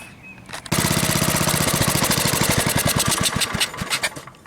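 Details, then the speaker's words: Gravely tractor, single-cylinder engine with replacement Chinese eBay carburetor: runs rough, popping and stuttering, only with choke fully closed; fuel-starved with low fuel pressure (about 3 psi). Owner suspects kinked fuel hose or faulty carb, and gasoline is leaking from the carburetor. "with the choke all the way closed, it'll run because it's pulling the fuel in rather than the pressurization letting it through."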